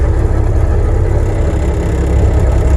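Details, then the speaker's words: Diesel machine with a boom at an Alaskan off-grid site in roughly -15 to -30°F cold. Its hydraulic pump is tested at idle after the slipping drive belt is addressed. A deep, steady idle under pump load with no belt chirp or squeal: pump and drive working normally. "Oh, that's a good sign. It was slipping bad enough that the boom wouldn't go up and down, so that's an idle. I think we're good to go."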